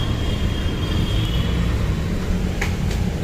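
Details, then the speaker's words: VW Polo driver's door power window after repair: even, quiet motor hum as glass travels over low engine rumble, no grinding; previous grinding noise gone, window runs smoothly. "ये नीचे जा रहा है आवाज नहीं आ रहा है इसके पहले घर घर घर घर की आवाज आती थी कंप्लीट है"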